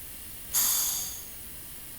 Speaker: You can hear the air venting, but that beam just isn't moving to any degree that we can see.